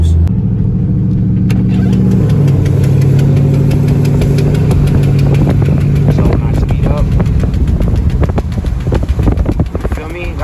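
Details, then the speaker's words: Car after city flooding, window cracked while driving: low engine drone with a sharp knock that repeats faster as road speed rises; owner first suspected a lifter, now suspects something tire-related. "that right there sounds like a lift it really does i thought it was a lifter up a little bit and it speeds up so it's something in my eyes it's something like that has to do with the tire if i'm not mistaken"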